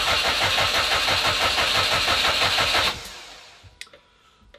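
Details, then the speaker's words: Subaru Impreza (WRX-to-STi full rebuild), first start attempt in 3 years: the starter cranks at a steady regular beat for about three seconds and never catches. Crank no start. "I've tried cranking it again with a new battery and I've had no lock"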